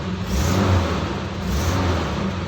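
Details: 1990 Nissan Safari after its crank no-start fault is fixed: the engine revs up cleanly twice and drops back smoothly, pulling evenly with no misfire or stumble; healthy.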